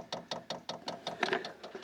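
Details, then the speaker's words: Diesel heater being primed for first start in a barn, priming method guessed without instructions: crisp, evenly spaced ticks about five per second in a quiet room; normal fuel pump ticking while priming. "it is priming so we'll give that a little bit of a chance and then we're just going to fire it up and we'll see if we've got some heat in there"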